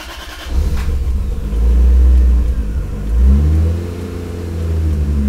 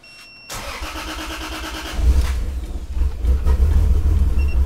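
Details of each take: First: Lexus IS300 on the first start after relocating the ECU to the interior and rerouting the engine harness, O2 sensors unconnected: catches after a short crank, swells with a couple of light revs, then settles into an even, steady run despite a very lean exhaust smell. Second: Lexus IS300 on the first start after relocating the ECU to the interior and extending the engine harness, O2 sensors left unconnected: cranks, catches, then runs rough and uneven with wavering pitch; owner feels a misfire and the exhaust smells very lean.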